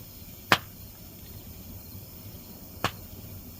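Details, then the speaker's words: Two sharp isolated cracks in a burn barrel outdoors; suspected capacitors or circuit board of an old broken laserdisc player popping, unconfirmed. "must be popping on a circuit board it was an old laser dis player that was broke"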